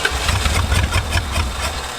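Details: 1970 Plymouth Satellite engine, first start in 35 years, running on the carburetor with one throat half covered: short burst of lumpy, uneven low chugging that wavers and sags, engine barely running.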